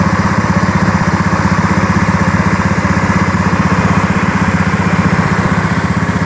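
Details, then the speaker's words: Honda Beat FI scooter engine after seizure repair and reassembly, compression now 40 PSI (was 20 PSI), earlier ran rough: steady even putter at about four beats a second, no misses or knocks; normal idle. "Jadi motor ini hidupnya sudah normal, ya, sudah bisa setensioner."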